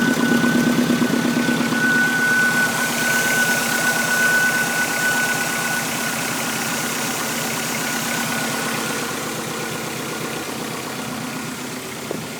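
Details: 2006 Subaru WRX idling on a freshly rebuilt engine, about 500 miles, with an ATP3076R turbo, DW1000 injectors and a break-in tune, also showing low fuel pressure and a downpipe exhaust leak; a steady high whistle over the idle comes from the power steering pump.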